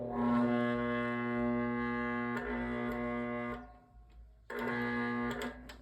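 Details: GE Vortalex fan motor making a loud, steady electrical buzz with the blades not spinning; it sometimes struggles to start, runs if spun by hand, then slows and locks up, stalled and only humming.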